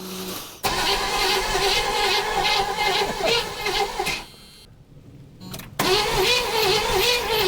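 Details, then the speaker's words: 1976 Chevrolet Nova, garage-stored about 35 years, being revived: starter cranks with strong, even, regular pulses, briefly pauses then resumes; healthy, even compression. "It's got compression."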